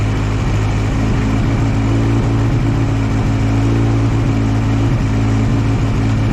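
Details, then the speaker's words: One-owner barn-find 1964 Jeep CJ5, engine previously stuck and just freed, first sustained run, still smoking: deep, even hum at steady idle with no misses or knocks; running smoothly, a normal idle. "oh guys I am just so happy about this you guys hear how smooth this thing's actually running this is unbelievable from being being a locked up hunk of scrap IR to running that smooth that quickly is impressive"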